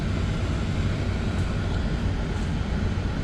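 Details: Audi Q7 heater blower motor after removal, cleaning and lubrication, refitted and run up through fan speeds to twelve: smooth, even air rush, low steady hum, no squeak or chirp yet; squealing later returned.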